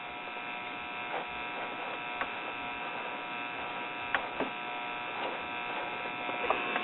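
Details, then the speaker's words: RCA Victor model 96T4 1939 tube radio, first power-up on an isolated AC supply turned about halfway with the dial bulb lit. A steady high-pitched buzz with crackles comes from the speaker and no program is heard. Open filter capacitors are suspected. "Alright, I'm hearing racket from the speaker, so that tells us that something's going on."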